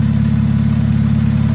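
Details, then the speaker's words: Car idling with a hole in the exhaust, possibly at the front: loud raspy puffing about six to seven pulses a second heard from the engine compartment; exhaust leak. "but you hear how loud it is we've got a hole in the exhaust somewhere it could be in the front"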